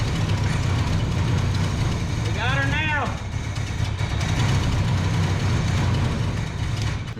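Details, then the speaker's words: 1973 big-block Chevrolet C10 that sat for a year or more, running off a fuel bottle after retarding the timing: lumpy, irregular V8 idle, like running on about four cylinders; rough-running misfire, cause suspected but not confirmed. "she sounded like she was running on about four cylinders, but hell, she was running."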